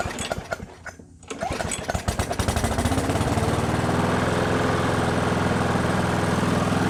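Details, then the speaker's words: Brute lawnmower with Briggs & Stratton Classic engine after governor spring replacement; stumbles and pulses, then settles into a low, flat drone that won't pick up because the straightened governor spring lacks tension to hold the throttle open; fix: bend tab. "Alright, so what's going on is because I took the kink out of that spring, it's not providing enough spring tension to keep the throttle open."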